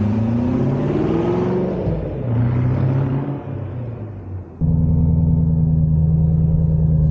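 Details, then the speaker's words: Ford Mustang on bumpy road after replacing upper and lower rear spring isolators: steady engine and road rumble, no more rear-end clunk over bumps; repair successful. "all right this section road is pretty bumpy i'm not hearing anything i think this was a success"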